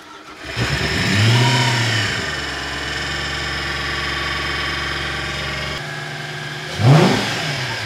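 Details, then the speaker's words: V8-swapped Porsche 986 Boxster track car, first test start after reassembly, with temperatures rising gradually: quick start, short flare in revs, then settles to a smooth, even idle with one clean blip; normal start and idle. "oh ça sonne bien jusqu'à présent les températures augmentent progressivement"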